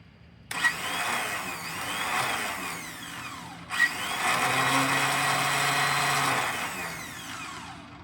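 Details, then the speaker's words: Old Cub Cadet HDS mower with a Denso starter, transmission fluid poured into the cylinder to simulate compression: two high whirring bursts spin up and wind down without catching the flywheel; starter spins but does not engage, cause unknown. "Is this one not engaging either? That one's not engaging either. What's going on?"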